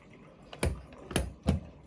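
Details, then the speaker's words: Dialysis machine during disconnection: after pressing unload cassette and confirming, three sharp clicks in a quiet room as the arterial pump stops, which is normal before opening the sensor bar. "wait for the arterial pump to stop you've heard that clicking sound that's it that's when the arterial pump had stopped"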